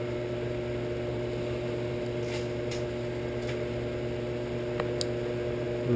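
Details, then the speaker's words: Shopsmith 10ER with Leeson 3/4 HP 2500 rpm DC motor and KBMD240D controller, after truing pulleys, no belt guard, high range up to 8260 rpm: smooth constant hum, slight vibration around 3000 rpm; runs normally. "bad a little bit of vibration at right at 3,000 RPM high range not bad though not bad not bad"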